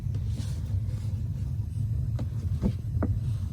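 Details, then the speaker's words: Gas water heater, pilot relit after going out, control knob turned to hot: steady low roar of gas burning evenly at full flow with a few stray clicks; burner firing properly. "Okay, and you will hear the noise because the gas is flowing at full momentum, and since the pilot is on, the water heater turned on."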